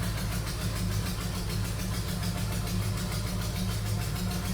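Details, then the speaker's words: 1971 Plymouth Hemi Cuda V8 idling: lumpy idle with a sharp puffing tick riding on each firing pulse from an exhaust manifold leak; the manifold is warped and needs machining flat, then refitting without gaskets. "you can hear that nasty exhaust leak it's the manifold it needs to be needs to be machined flat again"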